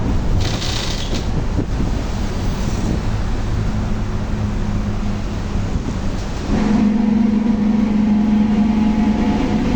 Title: [Engine Sound]Torino S Volkswagen 17-230 OD Euro V (Diferencial Roncando Alto) Speed Car 300.532